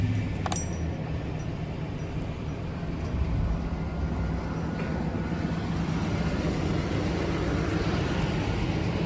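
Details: 2015 Nissan Titan pickup V8, stock exhaust: low, even rumble holding steady at idle, no ticks, misses or exhaust leaks; runs healthy.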